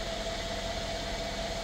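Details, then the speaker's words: 2016 Mercedes-Benz S550 W222 just after ignition coil and spark plug replacement; check engine light went out, though codes remain stored. Steady even hum with a faint constant whistle, no misses or stumbles; normal smooth idle. "now the codes are still going to be there but the car is is a lot happier I can even hear it"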